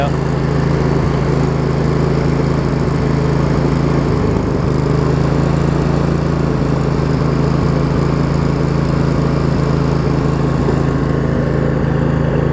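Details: Craftsman riding mower, Briggs & Stratton V-twin, after shift hub repair, started on choke and driving: low steady drone at even speed, no knocks, misses or hunting; running pretty good.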